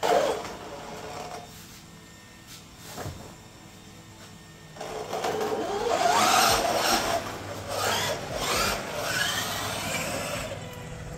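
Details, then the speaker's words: Traxxas XRT (Leopard 1000KV, Castle 8S) after fitting a new drive shaft and fresh fluid in the center gear: motor and gears whir up and down with throttle, with no metal clangs or grinding. Normal drivetrain operation. "I don't hear any funny business."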